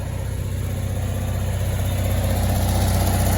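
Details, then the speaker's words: Onan generator in a Barth motor home balanced at 120 V after carburetor adjustments, running both Emerson AC units full blast with the inverter on. A steady, even low drone with no hunting or surging: smooth, loud as it should be, normal under load. "just turn like a kitten it's really smooth now you know they're loud like they're supposed to be"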